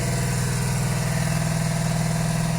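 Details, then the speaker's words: 1982–83 Honda V45 Sabre cafe-racer four-cylinder, final start after won't-start debugging, no choke: smooth even low burble with no misses, firing on all four cylinders at idle without adjustments; engine getting hot. "It starts up. Now, I did let it run a little bit longer before, and it does seem to be firing on all 4 cylinders."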